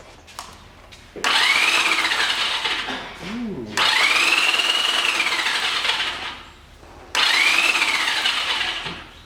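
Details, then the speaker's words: 1985 Honda Rebel, about 2000 miles, on its first start after 17 years stored, boosted from a booster pack after a stuck engine was freed: three bursts of fast starter whirring with no firing. Cranks but won't start, with spark present; cause unconfirmed. "Okay, so it turns over. So it's gonna crank."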